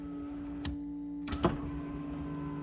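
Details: 1991 Camaro power window test while troubleshooting a dead passenger window: steady window motor hum with a few clunks as the glass moves and stops; this window motor works normally.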